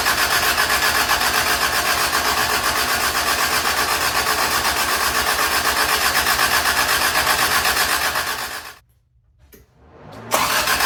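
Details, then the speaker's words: Toyota Tercel 3A-C engine just reinstalled, third start attempt after fuel lines were connected: long even cranking about four beats a second without catching, brief gap, then fires; flooded, cleared by shutting choke and giving gas. "I really didn't even think about it. I'm like, we need to shut the choke off because it's flooded."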